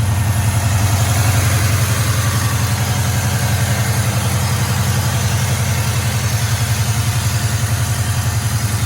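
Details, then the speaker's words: 1972 Chevrolet Chevelle, 350 small-block V8 with headers, Performer RPM aluminum intake, Holley 4-barrel, dual exhaust, 4L60 automatic overdrive, heard at the engine: deep even burble at idle, steady firing, no ticks or misses; nice and smooth. "Let's go listen to the motor. Nice and smooth."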